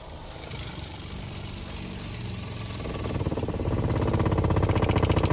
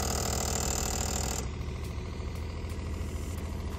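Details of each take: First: RV water pump, newly wired with crimps and temporarily mounted on wood, during a dump valve replacement: fast, steady pulsing hum near four beats a second builds, runs evenly, then shuts off cleanly; pressurizes normally. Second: RV wastewater system after replacing the worn dump valves and fitting a new pump, while the toilet is flushed and the hand sink runs. A buzzy hum pulses about three times a second from somewhere up in the plumbing and eases off partway, source unexplained.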